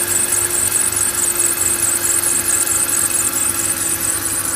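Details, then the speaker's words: BMW E46 with M54 engine at idle: a steady high, piercing squeal rides over an even idle without fading, louder from the alternator side; a slipping belt or dry idler/pulley is suspected, not confirmed. "Ну, со стороны генератора больше звук идет."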